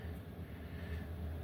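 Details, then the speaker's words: Diesel air heater in off-grid bus at 8000 ft, running on low speed blowing hot air: steady low hum, no fuel pump ticking after the pump clicking fix. "but you can't even hear it now it makes me happier than you'll know"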